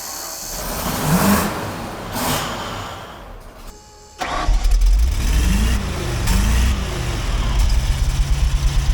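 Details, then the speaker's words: 1993 Ford F700 gas dump truck, long parked, first start after something was poured into the cylinders: old V8 catches and settles into a lumpy, uneven idle; owner suspects it's missing on a cylinder, unconfirmed. Rough running. "sounds like it's missing I wouldn't be surprised"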